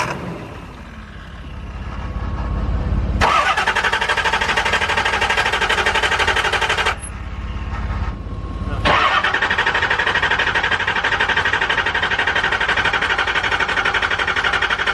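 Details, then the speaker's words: Diesel truck cranked in 40-second intervals after an injector rebuild to purge air and fill the injectors: two long bursts of steady starter whir, about four turns a second, engine never fires; crank no-start, glow plug light stays on. "you're supposed to let it turn over for like 2 minutes or so. So like it's gonna be like 40-second intervals, probably about 5 times, just 40-second intervals of trying to get the system purged out and fluids inside of the injectors."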